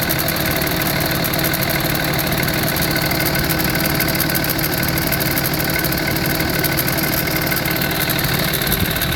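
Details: Cold-start rattle on a 2005 5.9 Cummins diesel, engine professionally rebuilt 4k miles ago: steady idle with fast, uneven metallic rattle beginning ~10 s after startup, gone above 140°; new belt, tensioner, alternator, idler pulley didn't fix it, source unknown.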